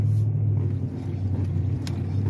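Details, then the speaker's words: 2006 Chrysler 300 on a test drive after new bushings, on smooth road with the steering wheel rocked: only low road rumble, and the earlier clunk is gone. A separate front-left noise over bumps remains. "I am not hearing that clunking noise. So that tells me the bushings did make a difference."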